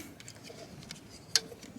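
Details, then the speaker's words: Cyclops DC 5 joule solar-powered fence charger on electric goat netting, just reconnected: sharp isolated snaps at a slow steady beat over quiet background; charger firing normally again. "you can already hear it popping it's back on"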